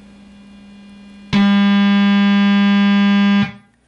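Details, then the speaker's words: Op-amp Big Muff Pi clone guitar pedal (DBE Punk'n Pi). Output probed between R4 and C3 with the guitar input disconnected, battery power only. A loud steady buzz near 200 Hz shows the stage oscillating from a wrong capacitor value. "now let's put that output right back there again it's oscillating okay so we have something suppose sadly wrong here"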